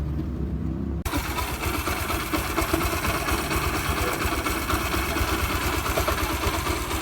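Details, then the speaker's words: 2005 Yamaha YBR 125 after engine repair for rod, piston and bearing knock, with seals and gaskets replaced: it catches and settles into an even idle, with some mechanical clatter left. Noise is much reduced; a missing part keeps it short of 100%. "na marchar lenta ela fica mais mas pra Vista que tava parou muito o barulho"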